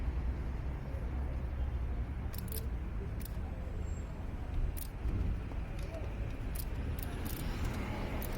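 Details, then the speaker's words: Car with a crank-no-start, ignition on, injectors triggered with a spanner at the camshaft sensor: sharp scattered clicks in a quiet engine bay show all injectors firing, so the camshaft sensor works and isn't causing the no-start. "course. Okay, so as we can see, all of the injectors are firing just fine."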